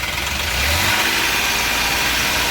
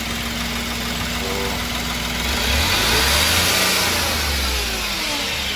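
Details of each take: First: Ashok Leyland Dost diesel revved: jerking, misfiring and not taking full revs, no scanner code; cause found to be a failing crankshaft position sensor, fixed by replacing it. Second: Ashok Leyland Dost diesel after replacing the crank sensor (old one caused misfire and wouldn't take full revs, scanner showed no code): engine revs up cleanly and settles back, pulling smoothly with no stumble or misfire; rattling gone.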